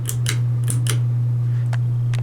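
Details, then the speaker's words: 32-inch Hampton Bay Minuet II six-blade ceiling fan, 3-speed reversible motor, no light kit: steady low electrical hum under quiet running across low, medium and high; switches replaced, capacitor good, connections fine, cause unknown. "Can you guys hear the humming? Medium, low, off. But I don't understand why this fan's humming, you guys."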